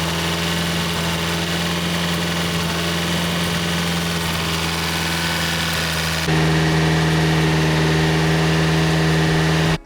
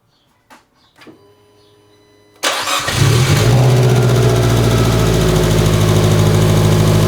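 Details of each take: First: Abarth 500 petrol engine after a new head install, idling smoothly and evenly after a forgotten connector was plugged in, then stepping up to a steadier, louder hum, ahead of 20 minutes at 2000–3000 rpm to break in new lifters. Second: Fiat 500 Abarth first start after new cylinder head install, O2 sensor accidentally left unplugged: a few clicks, then lumpy, uneven rough idle; after plugging the sensor in it idled fine.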